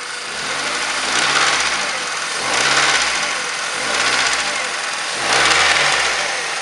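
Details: 2007 Mazda 3 1.6 petrol engine idling and blipped in slow surges with a rough tapping knock under it that follows the revs; cause unclear.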